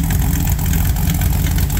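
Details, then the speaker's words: 1974 Ford Bronco after engine swap, V8 with Holley Sniper 2 throttle-body fuel injection: deep, even, steady idle rumble with no misses or lumpy beats, running well; normal idle. "but it's running good and uh it's working well"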